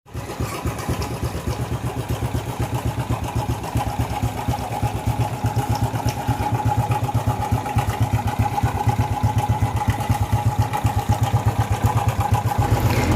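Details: Honda XRM motorcycle single-cylinder engine starts, then idles with a fast, even chatter of about four beats a second from the slack timing chain tensioner: timing chain tensioner noise.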